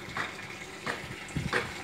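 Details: LG WF-T801TD automatic top-load washer that won't cut off water, during valve coil voltage checks (220 V AC found): water keeps gushing and splashing into the tub without stopping. The inlet valve is suspected of staying open, unconfirmed.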